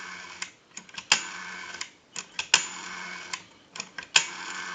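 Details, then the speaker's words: AE Monophone 40 rotary desk telephone after repair and conversion, final checkout with the analyzer showing dial numbers: repeated spring-driven whirs, each ending in a sharp click, come back evenly; smooth, healthy rotary dial return. "if you watch the analyzer you'll watch the numbers roll by we have a nice smooth return"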